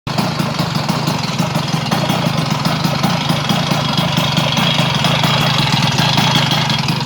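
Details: Vespa 100 smallframe two-stroke after fitting Parmakit race ignition with 1 kg flywheel weight: engine running fast and busy with a dry, light metallic rattle from the flywheel area; cause unknown.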